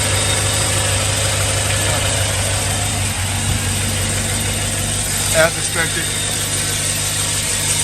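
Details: 2007 Chevy Suburban 6.0 LS, first cold start after new flywheel/flexplate, exhaust manifold leak from broken bolts: steady even idle, smooth low rumble, no ticking or clicking from the flexplate area; engine sounds healthy.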